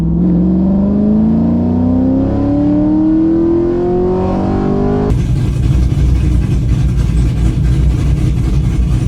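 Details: After a misfire was fixed with new MSD spark plug wires, during data-log runs the engine pulls cleanly as the tone climbs smoothly through the revs, with no stumbles or popping; it fires evenly under load.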